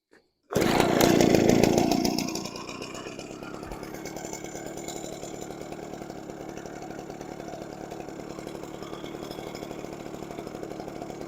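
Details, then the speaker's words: Echo PB413H two-stroke backpack blower with aftermarket carburetor and NGK plug: pull-start burst, then a steady, even idle with no hunting or misses; healthy idle after carb adjustment. "okay by turning it in the high screw leaning the 2600 was good at idle"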